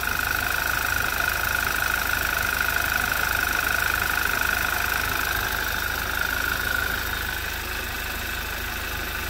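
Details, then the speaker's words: 2011 Audi TT Quattro 2.0T TFSI first run after engine damage repair, sat 1.5 years with old fuel, chilly day: smooth even idle with faint steady whine, no knocking, settling quieter, oil pressure about 25 psi; sounds healthy. "Now, I don't hear anything detrimental. I just hear normal engine sounds, and it does seem to be quietening up just a little bit."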